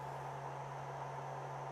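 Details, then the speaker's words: Small Steam Machine-style gaming PC under load: the GPU is near max temperature with its fan at about 4,200 RPM, its loudest, and the CPU is in the 70s °C and still rising; a constant airy rush over a steady low hum. "The GPU is pretty much at max temp now and we can see the fan is spinning at about 4,200 RPM, which That's about as loud as that gets."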